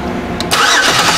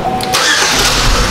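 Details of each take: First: 2005 Chevy Equinox 3.4L with a crank-no-start and a new fuel pump: the starter spins the engine steadily but it never fires; a test light shows no power at the injector feed pin because the main relay is not turning on. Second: 2005 Chevy Equinox 3.4L with the main relay reinstalled after its damaged wire was repaired: a cranking churn that catches into a steady running engine with no stumbling, starting and running normally.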